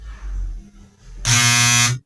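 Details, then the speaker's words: High-power transformer with loose, bent core laminations: a harsh, loud mains buzz starts abruptly when powered, from the loose laminations vibrating. "essa vibração que você vê aí essa esse barulho é realmente porque estão soltos é as bobinas"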